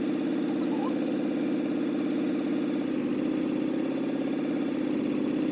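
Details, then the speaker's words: Small-block Chevy V8 in an El Camino with hydraulic lifters, valve lash being set at idle: fast light ticking over a steady idle from a loose rocker; the rocker is tightened until the clicking stops, then three-quarter turn more. "once you kind of get an adjustment there now you can hear the ticking so it's going to start tightening so he stops hearing the clicking and then it's three quarter turns"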